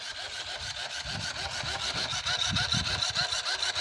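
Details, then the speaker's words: Nissan Versa with brake-triggered flashing lights: fast, regular whirring pulses about three per second from the headlight leveling motor running on, suspected voltage drop from an electrical short; headlight leveling motor running from short. "so this scares me this here is the motor for the the light as there's another noise it sounds like it's a voltage drop that's happening somewhere"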